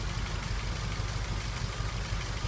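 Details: 2003 Ford Focus 1.6 petrol idling rough and uneven with stumbling thump; code P0302 misfire on cylinder 2, over 8,000 misfire counts, injector found faulty; cylinder misfire.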